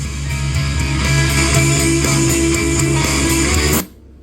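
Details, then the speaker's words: Marshall Emberton speaker playing guitar music at full volume, then a soft whoosh as it abruptly cuts out into near silence; owner reports a shorting sound and shutdown at maximum volume. "ตัวเนี้ยลูกค้าแจ้งมาว่ากาก็คือถ้าเร่งสุดอ่ะเสียงจะเอ่อจะมีเสียงช็อตแล้วก็ดับไปนะ"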